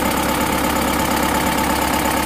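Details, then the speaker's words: Bison diesel from Central Java, rebuilt with custom liners after a damaged block and repeated blow-by: steady, even idle with firm regular beat, no knock or miss, much smoother than before; injection pump timing still not quite right. "suaranya sudah halus banget jauh sama yang kemarin kemarin Gitu suaranya gak Kasar"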